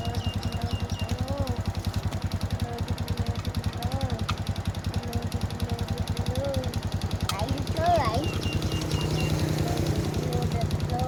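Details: Honda Wave S 110 single-cylinder engine at idle: regular light tapping on every turn, rising slightly with revs; engine knocking from the piston, piston replaced.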